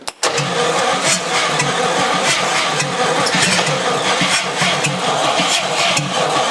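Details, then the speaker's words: 1956 Chrysler Windsor 331 Poly/Semi-Hemi V8, freed from stuck, hot-wired and run briefly without carburetor: cranks, catches, runs with even rough-edged beat and no heavy knocking; no hammering, bottom end sounds sound. "If this engine is hammering, which I think it sounded pretty good, No hammering there."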